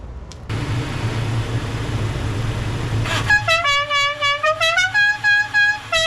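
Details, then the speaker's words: Horn Blasters Dixie musical air horn newly fitted to a vehicle: after some engine idle rumble it plays a loud, clear multi-note tune with crisp note changes. Working as it should. "It's funny. It's loud. It's exactly what it should sound like."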